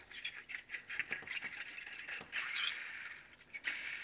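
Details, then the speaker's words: Case David Brown 1394 tractor clutch bearing, cleaned and spun by hand: dry, gritty rattling in uneven bursts; bearing rough and worn. "not the greatest this one here isn't too bad there is not very good though"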